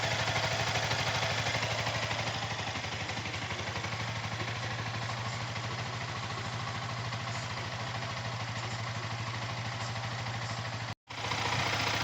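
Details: Yamaha R15 V3 BS6 at about 8000 km, after rocker arm replacement and valve clearance setting: steady single-cylinder idle with a light even tick, no clatter or misses; head noise gone, normal idle.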